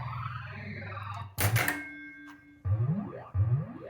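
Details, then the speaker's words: Bally Black Pyramid pinball sound board after repair, grounded and tested in a game: clear electronic boings and rising high chirps, the "20,000 leagues under the sea" sound playing as designed; normal sound board output. "And that sound there, it sounds like you're 20,000 leagues under the sea, like it's supposed to. I mean, it does sound better."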